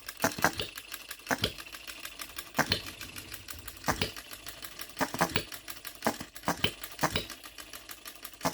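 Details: OKMO Retrol B02 miniature petrol hit-and-miss engine on shellite, very first start, straight out of the box with no adjustments: sharp pops every second or so with light ticking and quiet coasting between; even hit-and-miss cycle, running properly.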